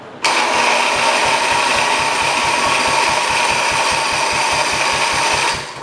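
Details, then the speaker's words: 1968 110 tractor with K181 8 HP engine, sat five years, first start attempt with fuel on: steady starter churning at about five even compression pulses a second with no firing; cranks but won't start. "I would dare say it doesn't work."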